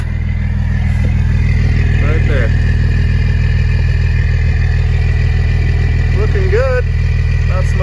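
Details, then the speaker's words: 2004 Blue Bird SC2000 transit bus, six-cylinder diesel, long-sitting, freshly started cold and warming up, heard outside near exhaust: steady even low rumble, about 200 pulses a minute, no knocks or misses; normal idle. "Oh, that sounds lovely. Oh, I love the sound of a six-cylinder diesel. It just makes all the right noises."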